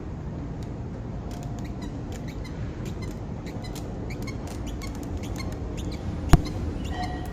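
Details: Stroller wheel rolling with a low rumble and short, irregular high chirps: squeaking from worn wheel bearings.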